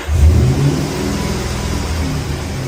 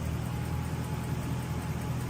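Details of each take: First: Toyota Soarer/Lexus SC400 1UZ-FE V8 (1994 vs 1995+ ECU and wiring differ): revs swell and sag unevenly, kept alive only by throttle blips, won't settle to idle, hard to keep started; idle speed control not reset, TPS sometimes picks out. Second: Toyota Soarer/Lexus SC400 1UZ-FE V8 just started after fitting a T-piece for the 3-second delay: steady even low idle, no knocks or misses, revs rising as ECU and idle speed control valve learn each other; normal idle.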